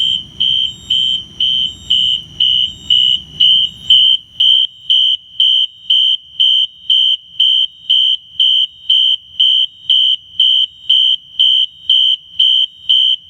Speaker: i forgot to mention this but that strobe is on 30 candela and you can definitely hear that strobe i think the horn is getting a little power or something but you can definitely hear it